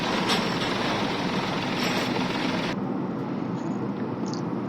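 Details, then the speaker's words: Mahindra KUV100: loud, uneven engine roar with a lumpy thudding beat and heavy vibration from start; rough running, mechanic checking for a non-working injector, cause not confirmed. "इसमें engine vibration बहुत ज्यादा जैसे हम start करते हैं ऐसे पूरा धक धक धक धक ढकवा जाति है गाड़ी को"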